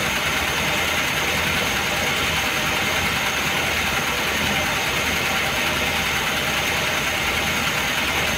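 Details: Engine warmed to full operating temperature after sitting a day and a half, hot idle with a light, rapid metallic tapping from the top end over the engine hum; oil pressure lamp flickers when hot; heavily worn camshaft knocking in its bed.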